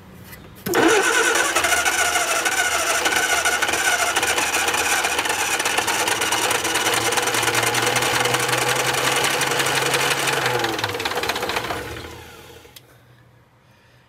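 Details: Barn-find Austin-Healey Sprite, long-sitting, battery only, bottle-fed fuel with carb bowls leaking from shrunken gaskets: long cranking with a few ragged attempts to catch that die off; cranks but won't start.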